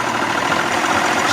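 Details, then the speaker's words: 1992 Johnson 60 hp two-stroke outboard fitted with 1990 70 hp carbs, jets swapped: steady, even burble at idle with no knocks, misses or surging, motor cool to the touch; normal idle. "sounds good she feels nice and cool"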